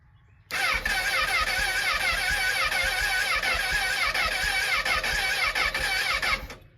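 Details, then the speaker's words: Honda CBR1000RR first start after a crash at over 100 mph, tip sensor relocated: fires and settles into a busy revving run with raspy exhaust, no knocking, things burning off the header; runs normally after crash repair. "The hot pursuit CBR is running. He wrecked at over 100 miles an hour and she's alive."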